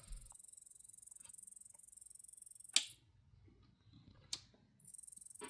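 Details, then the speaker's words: Savant SSA-3220D-00 Rev. 13 32x20 audio matrix switcher powered on: thin, very high-pitched cricket-like chirp with fast, even ticking ripple, stopping at switch-off; unit still works and power light comes on; owner suspects failing power supply. "Uh, however, I believe the power supply could be failing. It works, however, the power supply makes kind of a cricket sound."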